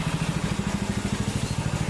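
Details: Rebuilt water-seized Predator 6.5HP Honda-clone engine on a Baja Warrior minibike, about 15 minutes into break-in run after clean and rebuild: even single-cylinder thump, steady, no knocks or misses, no smoke, no substantial oil leak. Normal idle.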